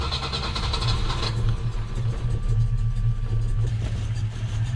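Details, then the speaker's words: Volvo B18 with Weber 32/36 carburetor, warm, after mixture screw reset: very low, lumpy idle surging and sagging near stalling, barely running; owner suspects idle speed was set too high and jets may need changing. "i think it may have been set really high idle so if this doesn't work i can't get it to idle here and the jets need to be changed"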